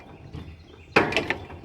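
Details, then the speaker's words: AGT Industrial QK16R mini excavator, bucket raised: three sharp clunks as the upper swings, hydraulic swing motor shifting in its mount, loosened again for the third time after about 20 hours despite Loctite. "that's the motor shifting around in it because it's loose. I know this because it's happened twice so far already."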